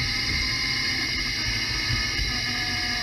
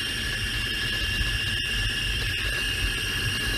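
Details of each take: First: Mercedes E500 4MATIC driving at about 25 mph with a ChassisEAR microphone clamped at the rear axle. A steady hiss with a faint whine sags as the throttle is released, the deceleration driveline whine suspected to come from the rear differential, not confirmed. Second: Mercedes E500 4Matic, chassis-ear microphone on the front transfer case while driving: several steady high whining tones over a low rumble, even with no growl; they do not match the cabin deceleration whine, so the transfer case is normal.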